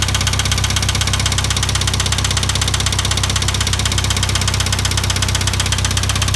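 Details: IH 2544 tractor at steady idle: a regular knock about four per second riding over the low rumble; engine knock, source still undetermined.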